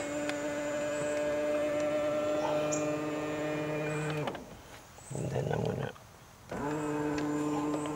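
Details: Tesla Model X middle-row power seat, which sometimes stuck and banged loudly at end of travel: even motor whine runs, stops, resumes smoothly with no pop or clunk this time. Normal seat travel.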